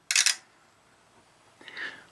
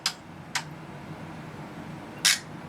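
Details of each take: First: Tektronix 2465 DMS oscilloscope, dead on arrival and partly reviving after connectors were cleaned, at power-button press: a sharp double click, then a softer click about 1.5 s later as a relay cycles several times while front lights come on and go off; cause unknown. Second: Tektronix 2465 DMS/CTS oscilloscope that arrived dead and shows shrunken, unreadable text on the CRT: three crisp relay clicks over a quiet hum during the internal self-test, normal relay switching.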